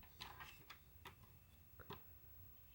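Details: PlayStation 2 (PS2) disc drive with a game disc loaded: faint, irregular light clicks a few times in a quiet room. Owner says the lens makes a strange noise and suspects the ribbon/flex cable; the cause is unclear.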